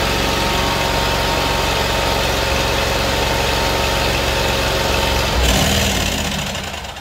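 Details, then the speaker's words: Kohler CV730 twin on Great Dane zero-turn running on auxiliary tank bypassing tank and fuel pump: steady slightly uneven clatter, cuts out at about five seconds and spins down; still stalls, so carburetor suspected. "Houston, we have a problem. Looks like we're going toward the carburetor instead of toward the fuel tank."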